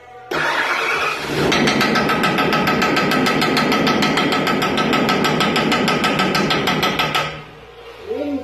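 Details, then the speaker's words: Junk nine-horsepower Subaru engine on a 34-ton log splitter, due to be swapped for a Predator 420: it fires up and settles into a loud, fast metallic clatter about three times a second; badly knocking, worn-out motor. "it's right a 34 ton log splitter with a junk nine horse subaru motor i started it up and it went kanaka"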